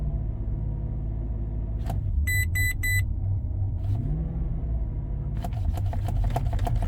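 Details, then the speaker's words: 2005 Maserati Quattroporte, 4.2 litre V8 Ferrari engine, just back from another garage: revving weirdly and idling high, surging and jumping without throttle input, with chimes; motorized throttle fault. "You can see it's just revving really weirdly. It's idling really high. It's just yeah, not really happy."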